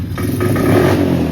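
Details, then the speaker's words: GPX 110cc (Pister Pro) dirt bike, slightly warm, before a carb cleaning: revs climb slowly and sag, choked and flat; it won't idle, bogs on throttle and dies, and adjusting the idle screw doesn't help. "but it's slow and bogs down, and when I look for the throttle, it dies. And you can change the idle screw, and it's still pretty similar and bogs down."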